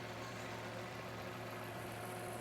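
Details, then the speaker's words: 2009 Land Rover LR2, Volvo 3.2 L inline-six, 198k miles, leaking oil, sat a few weeks, suspected bad alternator: steady, even smooth idle with low hum, no ticking or knocking; normal idle. "This thing is smooth as can be. So we'll see, it might be a pretty healthy engine."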